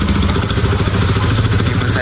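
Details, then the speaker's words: Bajaj Pulsar RS200/NS200 after a timing chain repair and fresh Motul oil; steady, even engine note with a firm low beat, no ticking or chain rattle, revs well. Healthy running. "Pero ya quedó bien, sin ruidos, revoluciona bien."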